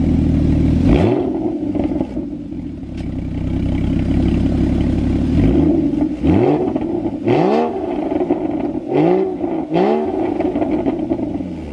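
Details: Porsche Cayman 981 GT4 rebuilt after a motorway crash to the nearside rear, first start with its new exhaust fitted: repeated crisp revs rise and fall cleanly with a strong, even exhaust note and no knocks or misses; a healthy engine.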